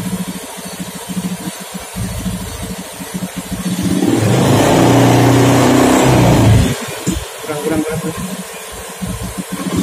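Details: Honda Beat FI scooter, new TPS fitted and set to 0.507: small single idles with uneven pulsing beat, takes a throttle blip, then settles back rough and hunting; unstable idle rpm.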